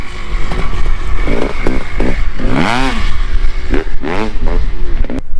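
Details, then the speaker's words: 2017 Kawasaki KX 500 two-stroke with power valve, first run after rebuild on a cold day, no leaks: crisp revs climb and fall cleanly with throttle, no knocking or rattle; runs hard and sounds healthy, normal revving. "this thing's that's it runs hard sounds sounds like it runs really good it runs really well"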